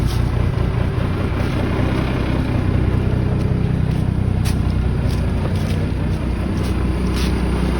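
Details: 1987 Ford LN9000 house-moving/wrecker truck, diesel, just revived after sitting in a field about 20 years: deep, steady rumble holding an even idle with no misfire or knock; running healthy after sitting.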